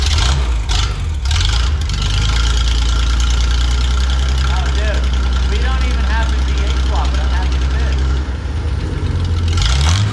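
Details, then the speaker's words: 1974 Chevy C10 Stepside pickup fired up with the exhaust removed: loud, deep, unmuffled, tractor-like blatting rumble at steady idle. Open exhaust. "I know it sound like a tractor bro it be sick"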